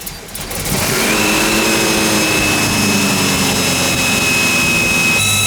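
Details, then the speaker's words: 1965 El Camino revived after years sitting, running well after new fuel pump: loud steady ear-piercing screech holds pitch over the engine, not fixed by the pump; source unknown, owners wonder timing or distributor. "What is that? I don't know, brother. It runs really good though. Say it's running. Oh man. Jesus. That's ear piercing."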